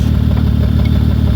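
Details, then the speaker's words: 2003 Honda Odyssey 3.5 L idling with a dead miss, catalytic converter disconnected, during a cylinder drop test: a lumpy, stumbling idle; unplugging that cylinder's coil changes nothing, so the coil is confirmed faulty (shorted). "So cool. No reason to move the plugs around. I identified this coil as being faulty, no question about it."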